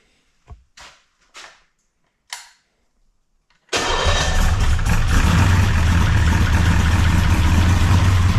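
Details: 339 stroker small-block Chevy V8 with exhaust fitted, after installing a Fel-Pro PermaDry one-piece oil pan gasket to cure leaks: a few clicks, then fires up into a deep, steady, even idle lope; normal idle.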